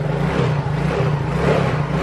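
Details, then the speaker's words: Injected automatic scooter that stalls when taken off its stand, turned or hitting potholes; kick-started on the stand it starts at once: steady, even hum with a smooth low note, no misses or rattles, running normally. "nah gini hidup yo motor langsung hidup digas enak"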